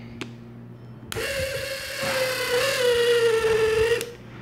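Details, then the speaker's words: Federal Signal Aerodynic light bar brushed DC motor runs about three seconds with a harsh, gritty buzz over a wavering whine, stiff and grinding when turned by hand, from a dirty, tarnished commutator before cleaning and resurfacing. "I'd say that's pretty noisy let's see we're gonna do with this one you can see how tough that is in there I hear the grinding just moving it that way"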